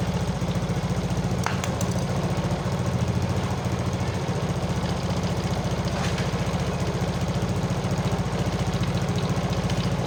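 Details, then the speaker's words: Single-cylinder motorcycle after spark plug hole thread repair, starting right away: steady even quick idle, about three to four firing pulses a second, no knocks or misses; normal running. "Tapi di sini alhamdulillah aman, ya, kita starter langsung hidup."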